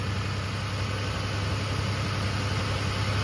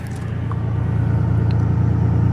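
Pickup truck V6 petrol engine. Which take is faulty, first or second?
first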